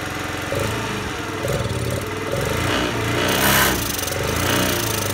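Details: Honda Today moped with a small single-cylinder engine that won't rev, carbon buildup suspected, before an engine conditioner treatment: running rough and uneven, struggling to pick up and faltering under throttle without revving out.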